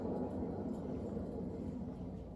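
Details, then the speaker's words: Raised wheel spun by hand after driving, hub feeling hot: steady coarse low rumble from a dry, worn sealed wheel bearing. "that sounds pretty noisy doesn't it sounds like a dry bearing to [Music] me"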